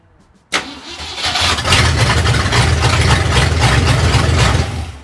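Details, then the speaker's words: 1964 Mercury Comet Cyclone 289 V8, 4-speed T10, no mufflers, first start after distributor adjustment: starter catches and fires straight into a loud, deep, even lope with no misses; normal start and idle. "Jesus Christ! Dude, that thing sounds like a beast."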